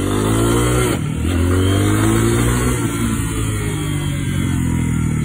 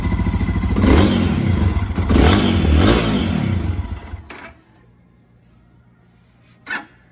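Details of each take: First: New fuel-injected Lifan KPX 250 single-cylinder enduro that stalled at idle and on quick acceleration, after turning the throttle position sensor clockwise: revs through a quick speed shift and pulls away smoothly without stumbling. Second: Lifan KPX 250 fuel-injected single-cylinder enduro in neutral revs roughly, hesitates, dies and coughs back to life on quick throttle; stalling at idle and on quick acceleration, fixed by adjusting the throttle position sensor.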